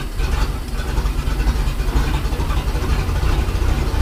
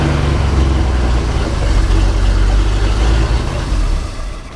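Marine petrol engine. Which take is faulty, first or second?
second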